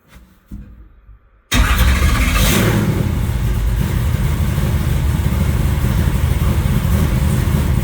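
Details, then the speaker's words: Stroker LS V8 after correcting a pushrod not opening the intake rocker, restarted: catches and settles into a loud, even, deep rumble with no misses or knocks. Normal running. "All right. Well, that sounds a lot better."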